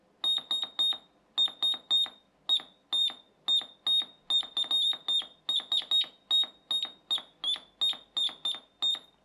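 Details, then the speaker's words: Ein O's Morse code kit, components soldered together, with an added piezo transducer from a door alarm lowering the pitch: loud, clear tone near 4 kHz keyed in dots and dashes, working; original piezo too high-pitched to hear. "the original one does still work but I can't hear it if I unplug that some of you youngsters might be able to hear X is very high-pitched but if I put this in it drops the frequency and I can hear it"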